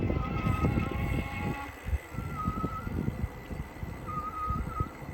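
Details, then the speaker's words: A Ride1Up electric bike: a thin, high whine rises in three short bursts over the rolling noise, coming from a dry front hub. Can be fixed with grease behind the dust cap. "another odd noise is a whining noise that comes from the front hub kind of like this"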